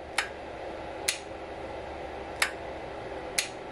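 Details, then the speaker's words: Power wheelchair brushed-motor parking brake fed 24 V from a bench supply through its two skinnier centre wires: four sharp clicks about a second apart over a quiet hum. Loud click like an automobile relay; normal brake solenoid engagement. "There's a a pretty loud click coming from right here. And in fact, that reminds me quite a bit of a typical automobile relay."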